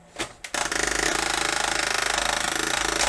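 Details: Magnavox ZV457MG9A VCR/DVD combo makes a harsh scraping grind with a rapid rattle about three times a second, with or without loading a tape. The load jams because a bent back tension arm stops the tape going all the way down.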